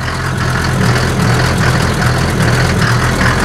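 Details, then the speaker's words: Mercedes T1 310 Larag or Oberaigner 4x4 diesel, completely cold, idling uneven and lumpy with a stumble every few strokes, slight smoke at rear; owner suspects running on three cylinders, injectors or head gasket, expected better when warm. "Aber man hört auch schon. Der läuft auch nicht ganz rund. Hörst du? Könnte sein, dass er nur auf 3 Pötten läuft."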